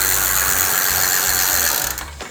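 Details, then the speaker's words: Simple bicycle freewheel with plain loose ball bearings and no seals, heard from the right side: rough, fast tek-tek ticking from the rear hub as the pedals are loaded, with felt vibration; freewheel rough and wobbly, bearing suspected before teardown. "da noise noise ada suara tek tek tek tek gitu ya teman-teman seperti itu kurang lebih teman-teman"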